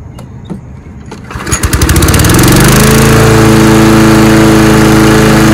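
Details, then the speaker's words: Husqvarna lawnmower after blade replacement and tune-up (recent spark plug kept): a few pulls, then catches within a second and settles into a smooth, even drone with no surging; runs much better than before, normal running. "well as you can hear it runs much better now than it did"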